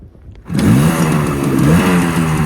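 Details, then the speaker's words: Old two-stroke barn-find moped with ignition jammed on by a screwdriver: silence, then it catches and settles into a steady, buzzy idle with an even beat, sounding stronger; normal idle. "Now that sounds a bit stronger. Nice."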